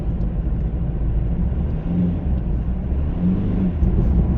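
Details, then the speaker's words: Kia modern car, over 90,000 miles, has towed trailers, full throttle in fourth gear: loud steady drone without pulling harder; worn slipping clutch, car virtually undrivable, recorded before garage clutch replacement. "As you can hear, the clutch is a little bit iffy, and by a little bit iffy I mean the car's virtually undrivable."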